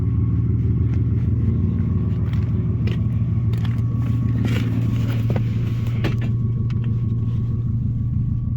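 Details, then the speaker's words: Nissan Maxima after Walbro 255 fuel pump replacement, previously stumbling: low smooth even rumble, pump's slight high-pitched whine possibly audible, no stumble or misfire; good oil pressure, normal idle. "It's got a little high-pitched whine to it. You might be able to hear it on camera, you might not. Definitely sounds better."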